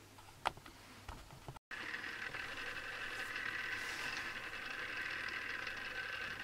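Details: Newly assembled Tamiya Display Turntable Black on its first test spin. The small motor spins up to a steady thin gear whine with a light rattly buzz. Owner dislikes the gear noise and may fix it later.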